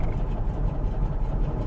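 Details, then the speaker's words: Porsche 912 with Bosch distributor after the stuck vacuum advance was cleaned and its fibrous part removed: deep, slow, lumpy throb with uneven beats, idling really low and wanting to stall; low idle. "okay so i've done some work with the distributor not very good work it's quite bad work it's idling really low now"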